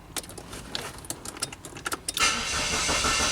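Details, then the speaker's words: Saab 9-3 crank no start: the starter cranks with uneven clicks, about three a second, but the engine never fires; the computer does not ground the main relay. Traced to the crankshaft position sensor not seated, giving a weak signal. "Okay, so no ground. Alright, so the computer is not turning on a main relay."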